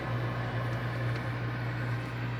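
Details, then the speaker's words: Bosch 403-litre fridge after ice hitting the evaporator fan was melted off; steady low hum with even airy rush, no ticking or scraping; fan spinning normally and quietly. "vamos ligar pra gente fazer um teste e ainda vai continuar fazendo a zoada ó aventura girando normalmente"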